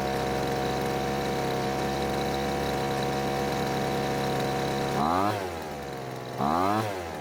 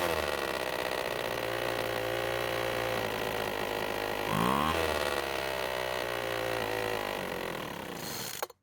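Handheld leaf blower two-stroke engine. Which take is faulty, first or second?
second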